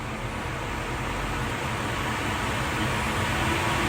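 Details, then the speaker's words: Newly installed Oneida Dust Gorilla dust collector with Nordfab Quick Clamp ductwork, first startup test; strong, smooth jet-like rushing roar swelling slightly as the fan comes up to speed, no rubbing or rattling, running healthy. "Whoa. Sounds like a jet's taking off. It's working."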